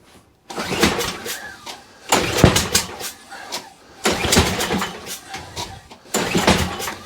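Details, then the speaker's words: Toro Recycler mower that won't start, with carb spray fed into the throat: bursts of sharp pops with each pull, about every two seconds, but it never runs. There is spark and combustion; the owner suspects a head gasket but is unsure. Popping on cranking. "So that went pop, pop, pop, pop, pop, but I'm not liking the sound of that. I'm not liking the sound of that, if I'm honest. That's making a pop, pop, pop like a head gasket noise."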